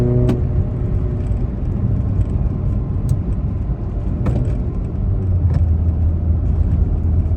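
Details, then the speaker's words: Toyota Echo 1.5 with 391,000 miles and a near straight-pipe exhaust, after a failed ignition coil was replaced; smooth, even pull with a steady low drone under wide-open acceleration, no low-rpm hesitation, breakup or gurgling as before. "So yeah, I'd say it's running a whole lot better."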